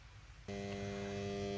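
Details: 10 HP motor's L&T three-phase starter, running on two-phase supply: at switch-on a loud steady hum starts abruptly from the starter contactor.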